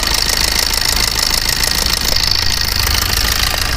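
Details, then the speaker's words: Suzuki Swift Dzire engine, restarted for the noise: harsh, rough idle with loose, fast ticking about three per second over a raspy clatter; worn roller rocker arms and marked valves; valvetrain ticking. "इतना घटिया कितना गंदा आ रहा है साउ म चलाने का नहीं होता ऑ"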